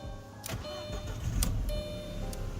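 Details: Audi that previously would not start, relay swapped during fuel pump diagnosis: starter turns briefly, then engine catches and settles into a smooth idle; normal start, relay not the cause.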